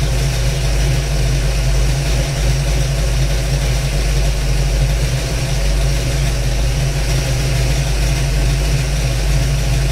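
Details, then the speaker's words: 1992 Ford Mustang LX 5.0 302 with Comp Cams XE266HR cam, dyno tuned, just started: deep, steady idle with choppy cam lope, settling and holding without dipping or stalling; normal idle. "alright folks let's fire up see what we're dealing with here foreign you can hear it's starting to settle itself out now"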